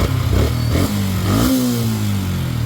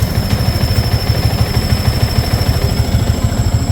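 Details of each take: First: Yamaha Sniper 150/155 at 4,383 on the odometer, after replacing the water pump seal, impeller and impeller bearing: small revs settling into a smooth steady beat with no whistle; whistle gone, sounds healthy. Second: Yamaha Sniper 150/155 at idle: steady high whistle above a lumpy idle, holding pitch with the engine, from the worn water pump seal, impeller and bearing; costly if ignored, oil and coolant may mix.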